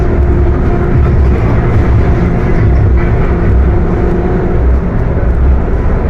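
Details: Mercedes-Benz OF 1721 BTC 5 bus (Apache Vip IV body) under way: loud, steady low growl with a hum through the drive noise; transmission growling loudly while driving.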